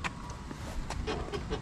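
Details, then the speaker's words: Honda Civic Si track car on BC coilovers, before a suspension swap: short squeaky creaks as the body is bounced on its springs; owner attributes the creak to the sway bar, not confirmed, and the suspension is too loose. "Springs you can hear it creaking too yeah the creek is something with my sway bar actually but yeah the car is just way too loose"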